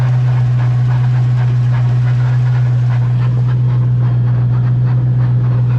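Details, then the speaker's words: Ford Mustang rear end, car raised and in gear: loud steady low hum with faint pulsing rumble that comes in and out from inside the differential; owner suspects a loose pinion moving up and down, unconfirmed. "that pinion might have come loose and now potentially what's moving up and down and making that noise"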